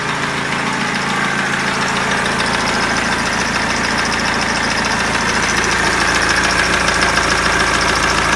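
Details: BMW E46 320d diesel at idle: regular knock three to four times a second above normal clatter; timing chain already changed, slightly better; owner asks crankshaft, rod bearing or hydraulic lifter, cause unclear.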